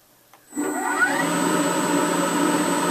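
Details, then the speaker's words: Dust collector blower, 8.5 in panel-type high-pressure wheel on a VFD at 60 Hz: rising whir then steady even hum and air rush, about 70-something dB, no rubbing; healthy. "That's how loud it is at 60 Hz. It's uh 70 something dB."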